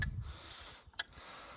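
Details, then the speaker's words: Very broken boat with fuel pump working and plenty of petrol, trying to turn it over: three sharp quiet clicks about a second apart, no cranking; sounds like a relay clicking in and out, cause unconfirmed. "It sounds like the relay is clicking in and out, doesn't it?"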